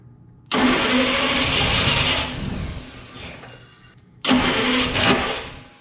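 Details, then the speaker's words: 1947–49 Studebaker with a supposedly rebuilt flathead six, sitting 35 years, first start with a choke stopper and starting fluid: two bursts of heavy, strained cranking on 12 volts, the starter louder than the very quiet engine. Cause suspected. "I cannot believe how quiet that is. The starter is literally louder than the engine."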